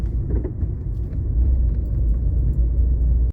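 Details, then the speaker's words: VW (Polo/Gol family) driving over gentle undulations: deep road rumble with scattered dull knocks from the right front, from a worn stabilizer link (bieleta) whose bushing wore so its ball joint went loose and knocks. "a e essa bucha se desgasta E aí esse pivô começa a ficar folgado a e começa a bater"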